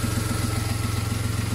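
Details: VW Polo whose alternator had stopped charging, repaired for free with a regulator; runs much better, no more dropouts, new flex pipe fitted. Even, low thrumming idle with regular pulses about eight per second and no misses or knocks; smooth idle after the repair.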